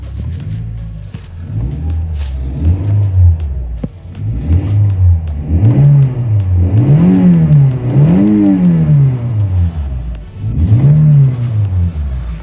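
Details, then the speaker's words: Toyota Auris 1.6 petrol, about 121,000 km, in cold weather, after replacing the noisy, non-charging original 100 A alternator and a stretched belt: clean blips rise and fall smoothly with no squeal or whine; battery light off, normal revving. "Chạy êm. Không có tiếng kêu rít. Không có lỗi."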